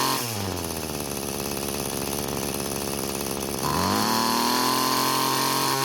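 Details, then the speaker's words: Found-free two-stroke string trimmer with a four-ended trimmer head: the engine labours at steady pitch, then after two line ends are cut off it jumps sharply higher and stays up; excess trimmer line was loading and bogging the engine. "so there was a definite increase in engine speed just getting rid of half the string ends this engine has enough power to use this size line but i think two ends would be less stressful than the four ends that it has"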